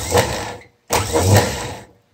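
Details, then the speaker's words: 1974 BMW R90/6 airhead starter, removed and bench-run on a jumper after WD-40, for slow cranking: two short spins, higher rpm and less resistance, but a thin squeak over the whir; bushings dry, not worn. "RPM is already much higher less resistance but it's still squeaky in there so there's definitely some bushings dry not worn"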